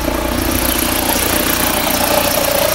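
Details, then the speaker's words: Fiat Freemont 2.4 idling with the AC compressor engaged: steady mid-pitched squeal from an overlong drive belt slipping under compressor load; compressor had been wrongly blamed; fix is a new 6PK 2563 or 2565 belt. "vou chamar o compressor do ar-condicionado para você ver o barulho está fazendo"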